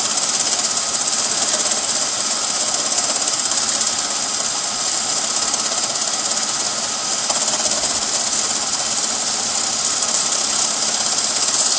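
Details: Chevy Beretta with GM 3.1 engine: fast, steady metallic rattle with a hissy edge over the running engine, about three beats a second; the AC compressor, which later seized and threw sparks, and fixing it solved the problem.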